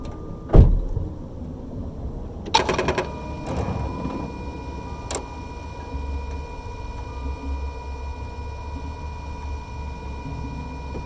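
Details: Car making a quick burst of rapid clicks as the key is turned to position I, before cranking; cause unknown.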